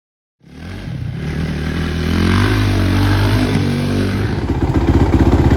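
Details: Suzuki RMZ450 first start after major head rebuild (old head dropped a valve); single revs with rpm jumping erratically, hunting up and down instead of holding steady; head glowed red hot within seconds, owner suspects lean condition.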